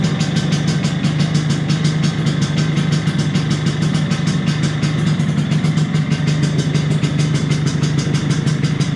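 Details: 1983 Vespa PX125E, first start after six-month full restoration: overhauled engine, new crankshaft, new 177cc cylinder kit, new bearings and clutch discs; steady fast two-stroke burble, even pulses, no knocking or rattles; normal idle.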